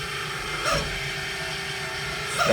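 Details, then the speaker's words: Old Weil-McLain gas boiler, New Year's emergency call, noise upstairs at night: steady low hum with two short high bird-like chirps; failing three-speed Grundfos circulator for the second floor, to be replaced. "so it's the it's a circulator for your second floor that's uh making all that noise upstairs why is it always upstairs nobody's up there"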